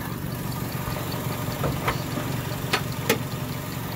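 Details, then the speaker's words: 2001 Mitsubishi Mirage 4G15 with a rough idle and no power after sitting for years. An uneven, lumpy low beat with shaking and intermittent clicking underneath. Engine mounts are bad; fuel pump, regulator, plugs, wires, CKP, distributor and PCV already replaced without a fix. "so you guys can see it's and then shaking sometimes there's like a clicking down there but it goes away so i don't know what it is"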